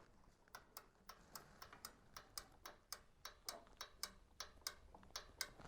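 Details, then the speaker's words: GE JEB1860DM2WW countertop microwave after the fix for turning on with the door open: crisp, even clicks about four per second from the red door interlock switch, a click not heard before, so the switch now works. "you can hear that that was a sound we were not hearing before so I don't know how long this fix is going to work but it Elise allows me to get the microwave back in service"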